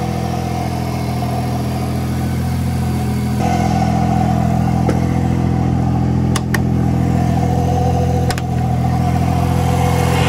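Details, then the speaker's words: Mercedes W203 with turbocharged M104 engine after injector cleaning for hard cold starts: steady, even idle with a slight rise, no stumble or misfire, much smoother than before; fuel pressure good. "fuel pressure is good everything seems good that sounds a lot better so smooth"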